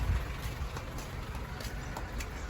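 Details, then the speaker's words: Honda City on CNG that stalls when switched to gas, before repair: uneven, lumpy exhaust beat with irregular dropouts from one cylinder misfiring; traced to a leaking CNG injector, later replaced. "อาการก็เป็นสามช่ามาเลยครับพ่อสะดุดมาเลยเครื่องสะดุดมาเลยกลายเป็นสามช่านี่"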